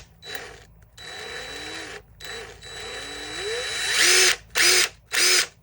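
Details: Old, worn brushed DeWalt DCF885 impact driver: motor whirs up cleanly with rising pitch, then three short even hammering bursts; runs and impacts normally, occasional visible brush spark.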